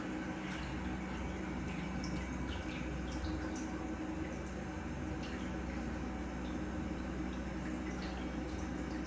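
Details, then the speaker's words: Single 2000 GPH bilge pump on a Kings 12Ah power pack for a highbanker, drawing just under 7 A at around 12 V: steady low hum with constant water splashing, running evenly with a steady current draw. "Okay, so as you can see, we're drawing just under 7 amps, around 12 volts. This thing's going to fluctuate a little bit, but it's pretty steady there, 7 amps."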